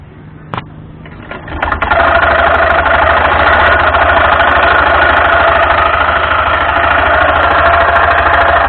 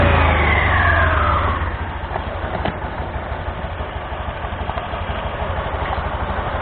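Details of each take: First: Honda Scoopy (Scoopy Donut) automatic scooter: loud, rough, rattly whirr at idle, constant over low engine drone; damaged front pulley roller housing and drive belt. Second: Honda Scoopy (Scoopy Donut) scooter after replacing damaged drive belt and front roller housing that caused loud CVT noise: starts, revs and settles into smooth even idle with steady pulses, no rattle or slip; normal CVT operation.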